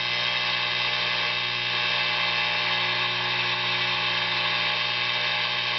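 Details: Tube guitar amp during an oscillator/tremolo circuit build: constant buzzy hum with steady high tones, radio interference from stray capacitance and unshielded components being amplified; hand nearby and touching the cap-discharge wire alters it.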